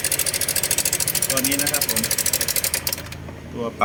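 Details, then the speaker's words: Honda Click 125i LED scooter, 2017-18, at idle and revving: fast, even metallic ticking from the top end, louder when revved; worn cam chain tensioner letting the chain slap. "สตาร์ทเครื่องปิดยิ่งติดกันเร่งยิ่งเครื่องเสียงดังนะครับครับครับน่าจะดังบริเวณไอ้เจ้าอยู่ประมาณราวดิ้นนะครับ"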